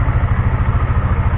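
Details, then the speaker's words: Honda CBR150R (K45G, DOHC) idling after worn camshaft was machined rather than replaced: slightly rough, faint clatter on a steady low pulse; slight camshaft noise remains. "untuk suara mesinnya ini terdengar masih sedikit ada Mas Arya"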